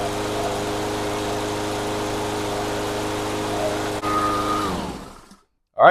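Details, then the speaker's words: Cub Cadet SC500 HW mower, 159cc engine, sat a year, after carburetor cleaning with fresh non-ethanol fuel: steady even drone for about five seconds, then winds down cleanly; mower now runs properly. "sounds good. I'm going to probably take it outside, let it run for 10 minutes, make sure there's no uh no problems, and call customer, send it back."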